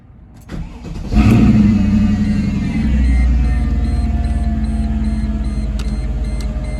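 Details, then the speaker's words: Mercedes C55 AMG V8 with newly installed oil catch can: starter cranks briefly, engine catches with a flare of revs, then settles into an even, deep burbling idle with no knocks or misses; normal cold start. "Just about to leave my parents' place. Figured I would give you guys a startup before I leave."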